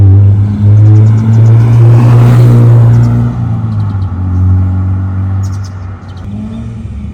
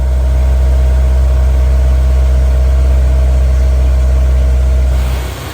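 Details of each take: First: Honda S2000 CR, about 533 miles, sat about 10 years, driven at temperature: deep heavy drone that swells and eases with revs from aftermarket exhaust; header rattles, heat shield cut; later replaced with low-mileage header and exhaust. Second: Honda S2000 CR, about 532 miles, after fitting low-mileage header, factory catalytic converter and factory exhaust to replace droning aftermarket system: smooth, even low idle with steady deep exhaust note, no knocks or misses.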